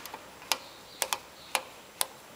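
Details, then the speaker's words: Lawnmower wheel after routine service: crisp, even ratchet clicks about twice a second, free with no grinding; the one-way gear inside now works much better, normal ratchet clicking. "yeah one way gear inside that that looks working heaps better now"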